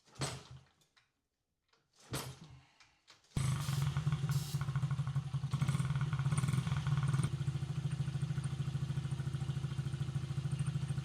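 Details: Honda XR50 after head gasket replacement, which had been leaking and making it run lean: after a couple of kicks it fires and settles into a quick, even putter, about three beats a second, running clean.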